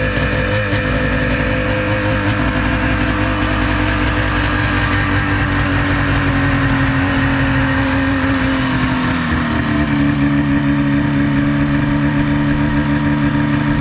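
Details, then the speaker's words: 1996 Ski-Doo Formula SS with the Rotax 670 twin two-stroke, sat 10 years, carbs cleaned and primer replaced: a steady drone that dips slightly then runs smoothly at about 1500-1600 rpm idle. It bogs a little and won't take throttle. "nope no didn't want to take throttle but it sat there and ran for a while that was pretty cool it's idling at like 1500 1,600 it bogs a little bit"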